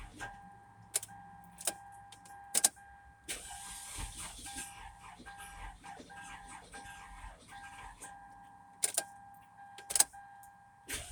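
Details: 2004 Toyota Corolla: a steady high, vacuum-like whir at constant pitch under scattered clicks and thumps; the engine noise turned out to be a bad alternator.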